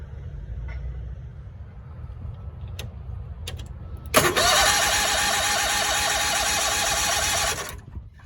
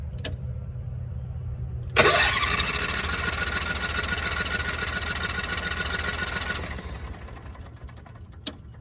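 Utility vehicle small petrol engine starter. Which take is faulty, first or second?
first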